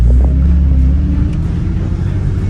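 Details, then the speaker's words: Porsche 911 idling with a check engine light on: deep steady rumble with an odd low drone on top; turning the steering wheel points to the power steering pump as the likely source of the accessory noise. "sounds like Power steering pump. Give me a little turn of the wheel while it's... Oh yeah. Power steering pump."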